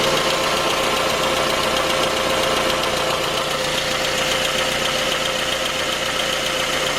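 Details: J20A engine (2010), cold idle: steady knock beneath the engine clatter. Began at 10,000 km and worsened after oil changes; dealer checks were normal. Found a scored crankshaft journal on cylinder 3, blamed on non-recommended oil; short block replaced.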